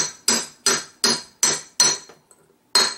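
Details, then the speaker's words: 1969 ball-joint VW Beetle front spindle during a drop spindle and disc brake conversion: hammer taps on the bearing race change from a hollow sound to a bright, high ping, meaning the race is fully seated. "this will take several and you'll know when it's a little in all the way because the tone of it changes it'll go from this this very hollow sound to a very high pink pink sound"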